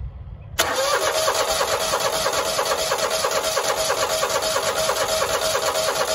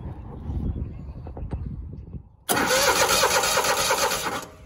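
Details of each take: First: Grasshopper 225K zero-turn mower at 150 hours, no start after running out of fuel and refuelling, run without a proper gas cap: starter spins the engine steadily about three beats a second but never fires; no fuel from the pulse fuel pump, pump failed. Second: Grasshopper 225K zero-turn mower at 150 hours, fuel pump pulse line checked and tank line reinstalled: quiet ticking, then a loud, even churning crank for two seconds without firing; strong cranking, good fuel pumping confirmed, carburetor likely dry.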